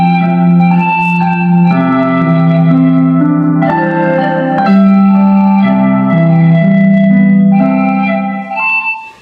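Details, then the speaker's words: Bluetooth speaker cabinet repaired for low, fluctuating volume, playing music after its dirty volume control was cleaned: loud, clear, steady playback with no crackle, dropouts or distortion. Normal output after repair; the volume control is to be replaced. "เสียงเริ่มใสแล้วนะครับเดี๋ยวลองเร่งเสียงดุงดูโอจากที่เราจากที่เราล้างวอลลุ่มแล้วครับเสียงดังดีมากเลยครับ"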